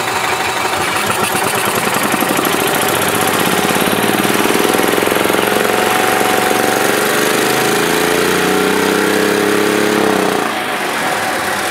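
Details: 2011 Club Car DS gas golf cart brought in for backfiring, throttle out of adjustment, in service mode: revs climb on their own to a high straining whine, then cut sharply at the rev limiter from about half pedal; faulty governor, overrevving.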